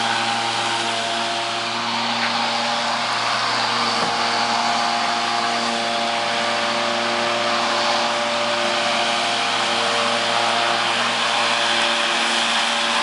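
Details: Battery-powered electric lawnmower, four 12 V 12 Ah AGM batteries giving 48 V (52.8 V measured) to a DC permanent magnet motor: steady even whir, blade humming at constant pitch, no knocks or rattles; running healthy.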